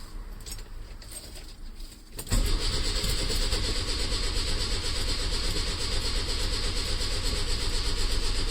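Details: 1968 Lancia Fulvia first start after long time off the road, on a jump pack, clutch in: weak, patchy cranking for a couple of seconds, then catches and runs with a very high idle; slow to fire.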